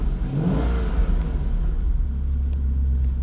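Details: 1997 Jaguar XK8 after a remanufactured ECU was fitted (bad solder joints had caused misfires and no-start): cold engine revs up and settles evenly with a deep, smooth rumble and no stumbles or misses; it runs healthy.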